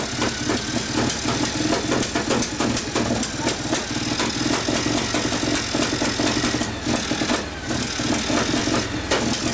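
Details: 1959 Harley 74ci panhead, new build with 38 Mikuni carb, kickstart tune-up after very hard starting: loud lumpy V-twin beat holding a steady fast idle, no knocks or grinding; healthy.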